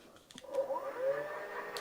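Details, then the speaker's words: Bafang (8FUN) hub motor on an electrified Giant Revive, front wheel lifted: light whine under throttle with no load, motor spinning backward against the freewheel; phase wires suspected. "I hear the motor but it does not spin forward that of course is the freewheel function"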